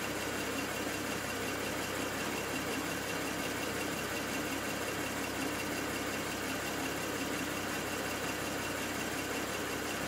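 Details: BMW N54 engine logged with IPNA: steady idle with a rough, uneven beat and occasional stumbles under the hiss, a misfire at idle; cause not yet known.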